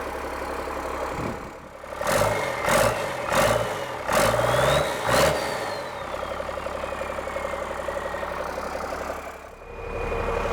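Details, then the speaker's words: Cummins-engined Land Rover 130 diesel warm-up idle, about 10 minutes, to flush mayo-contaminated oil. A few quick throttle blips, then steady even clatter with no misses or knocks; healthy. "So I'm just going to let it idle for a while now, let that oil get warmed up, and once it's had about 10 minutes idling, I'm going to stop it and we'll have a look at the oil on the dipstick."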